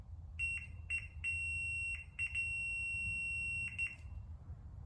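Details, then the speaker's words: Continuity tester on a 2003 Yamaha TT-R 225 ignition key switch during no-spark diagnosis: short high-pitched beeps in bursts with key on, nothing with key off; switch confirmed functioning and good. "we're getting continuity through the ignition switch so we know that our actual key ignition switch is functioning and good"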